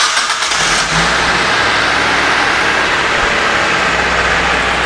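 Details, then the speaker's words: 2015 Mitsubishi T120SS pickup, original condition, started in neutral to check for odd noises or bad bearings: short starter whirr, engine fires at once into a smooth, even idle with no ticking, knocking or bearing growl. "Nah, kita starter. Mobil ini udah netral, kita starter."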